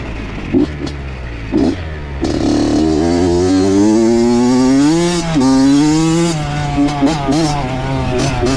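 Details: Honda CR80 two-stroke with Keihin PWK 28 carb, after replacing a spark plug the owner thinks was oil-fouled: crisp revs climb and drop cleanly with sharp throttle response and no bogging or sputter. Problem resolved, though it is possibly running lean.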